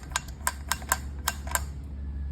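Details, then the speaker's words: Loose wheel balance weight on a rear wheel, lifted and spun by hand: sharp metallic ticks, two to four a second; on the road it ticked when reversing or creeping slowly. Brakes disassembled needlessly. "O barulho é isso aqui. É o chumbo que o pessoal colocou aqui pro balanceamento que tá frouxo."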